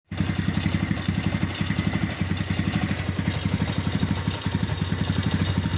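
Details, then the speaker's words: Yamaha Vega at rough idle: constant loose clatter on every firing pulse, clutch slips on hills and jumps; clutch rattle from worn clutch hub damper rubbers, engine opened for repair. "Mari kita bongkar motor ini suaranya rame banget ya jadi motor ini suaranya Klatak Klotok Klatak Klotok bisalah suka ngeplos selip ditanjakan juga suka loncat-loncat"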